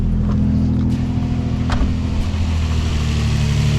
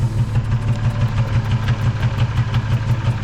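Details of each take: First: 2006 Nissan 350Z after replacing cylinder 2 ignition coil pack to fix misfire, check engine light not yet cleared: smooth, even low idle hum with steady beat, no skipping; normal idle, misfire seemingly fixed. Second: 2006 Nissan 350Z V6 with misfire on cylinder two and check engine light: deep, lumpy idle with a steady stumble about three times a second; fixed by replacing the ignition coil.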